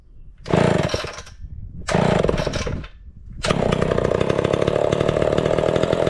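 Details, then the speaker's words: Homelite Big Red Super XL chainsaw with new chain and chrome new-old-stock muffler: two quick pulls and a brief catch, then a strong, even run with no misses or surges; sounds healthy. "I really love that sound way a lot better and uh I want to thank JT for sending this Muffler"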